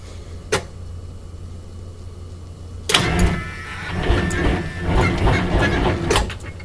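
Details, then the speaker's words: 853 diesel, first start in almost 2 years, block at 24° without block heater, freshly charged batteries: short bump then slow labored cranking, three to four pulses a second, never catches; suspected too cold. "that I don't know if this is going to go that is not looking dude I think it's too cold"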